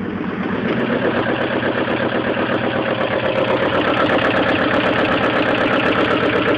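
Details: 1998 Mazda Protege at idle: steady engine note with a regular knock about four per second on top; engine knock, cause unknown.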